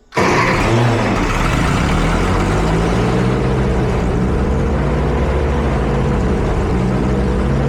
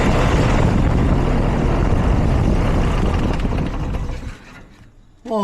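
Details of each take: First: Ferguson tractor engine, fuel back on, starts and holds a steady fast idle with zero choke and won't settle down; high idle, idle needs turning down. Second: Ferguson tractor engine, right after the starter was changed, fires right up and runs with a rapid even chug, then revs drop away; starts cleanly, timing seems not far off, carburetor still to be sorted.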